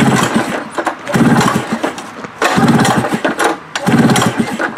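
Repeated pull-cord cranking bursts, roughly one every second and a bit, that never fire or catch; the engine won't start.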